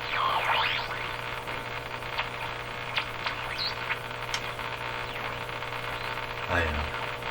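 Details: Eatons Universal Electrohome floorstanding tube radio after replacing the last wax capacitors: low, steady mains hum under hiss and chirps while tuning, source not yet found.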